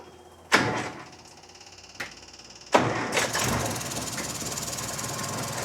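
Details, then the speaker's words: 1956 Land Rover Series 1 109 started after gasket and bolts refitted: hissing, puffing exhaust leak at the flange joint, a gap in the gasket shown by paper test; later fixed with muffler cement. "So you can hear the hissing for sure. And then look at that. Nothing there. So it should not obviously be doing that. So you can see that there's quite a bit of a leak without question."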